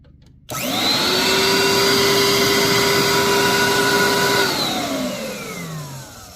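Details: Bissell SpotBot 1200-2 after reattaching pulled-off ground contact that caused no suction: motor spins up fast to a steady even high whine with no rattle or surging, then winds down smoothly; suction motor running healthy after repair.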